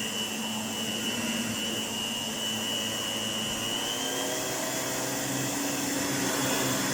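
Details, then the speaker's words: 1988 Electrolux 612 upright vacuum after full restoration with new pre-motor filter and dust bag: even high-pitched motor whine with steady airflow rush, no grinding or rattle, holding speed; sounds like new, normal motor run. "That's our 612 fully restored. I have to say, it sounds fantastic. It sounds like a new cleaner. I'm really quite surprised at how well that motor came up."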